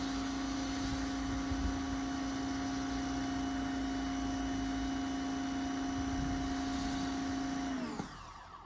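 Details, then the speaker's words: Bothlin electric pressure washer, new and just assembled: steady motor hum with fixed whine runs several seconds then drops abruptly; motor runs only with trigger squeezed, owner suspects a worn power cord causing cutting out. "I couldn't get the motor run, but I jiggled my cord, and evidently I've got a cord that's wearing out on me. But it finally came on."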